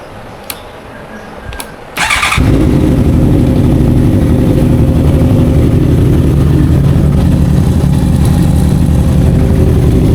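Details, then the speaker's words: Honda CBR650F with stumbling complaint, after a quick start settles into a lumpy, uneven idle with a missing beat; cylinder 4 not firing, spark plug or ignition coil to be checked. "สูบที่มีปัญหาก็คือสูบที่4นะครับไม่มีการระเบิดนะสูตรที่4นะสูบที่4ไม่มีการจุนระเบิดนะฮะ"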